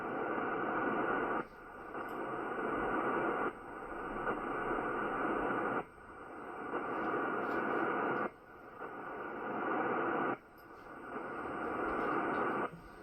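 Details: Ham radio receiver: cyclic hiss swelling about two seconds then cutting out, every couple of seconds; interference radiated by a noisy Ryobi battery charger through the electrical system.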